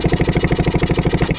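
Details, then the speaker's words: 1967 Yamaha YL2C Trailmaster 100 motorcycle with spark plug out: quick, even whirring pulses about eleven per second, no firing or hesitation; the electric starter, just discovered to work, spins the engine over freely. "This whole time, I must have kick-started this thing 100 times with my foot in that last video. And it's got an electric starter that works."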